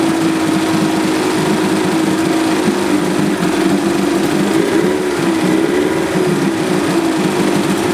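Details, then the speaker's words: 1978 Johnson 25 hp short-shaft two-stroke outboard after carburetor cleaning for a no-start: steady even idle with light buzzy note, holding speed without stumbling; now starts and runs cleanly. "I'd say that's got her."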